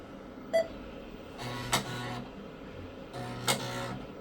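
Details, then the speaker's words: Vintage PC booting a DOS 3.3 disk from the A drive: short beep, then chunky buzzing seek bursts with sharp clicks, normal floppy stepping. "some chunky sounding floppy drives I love it"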